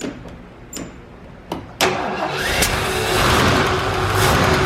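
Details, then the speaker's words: 1972 Ford Gran Torino 400 two-valve V8, first start after sitting 17 years on old yellowed fuel, two pumps of gas, choke closed: several short cranking bursts, then fires at once and runs steadily with no misses. "Holy smokes. It's running. It's alive. No gas, no nothing. It's running. 17 years."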